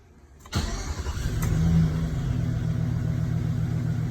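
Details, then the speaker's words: 2007 Chevrolet Silverado, previously no-start, after faulty airbag module disconnected and main key reprogrammed to the theft deterrent module: starter whirs briefly, engine catches within about half a second, brief flare, then steady even idle; normal start. "There we go, just probably sitting up for so long."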